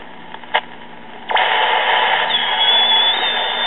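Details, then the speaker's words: 1939 Emerson 5-tube battery AM portable tube radio: transistor AM set tuned near 700 kc beside the chassis, hiss jumps to loud rush with faint whistle when tuning across the band, showing the local oscillator is working; first IF transformer primary was open, temporarily replaced. "that tells me that the local oscillator in this chassis is working okay"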